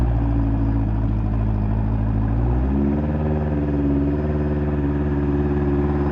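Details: Fuel-injected 1983 Honda CB1100F prototype, first fire-up after 17+ years in storage. The fuel pump kicks in first. The four-cylinder burbles evenly, then revs climb smoothly and hold a steady higher pitch without misfires. Normal running and revving.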